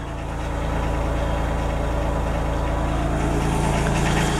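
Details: Denyo DCA-15SS-N genset, 30+ years old, 1.6 L 3-cylinder Nissan diesel (18 PS at 1500 rpm), first cold start in years, no load, smoking a little: low steady chug settling and firming over seconds, no misses or knocks; normal cold idle.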